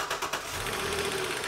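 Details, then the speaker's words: Hot petrol engine with accessory drive belt removed: quick sharp knocking ticking over steady engine note, ruling out alternator and front accessories; knock suspected in upper engine, upper plenum and valve cover to come off; not confirmed. "oh good enough man it's knocking and it's knocking bad so that eliminated the actual accessories on the front the alternator all the components but you can still hear it knocking like crazy right here"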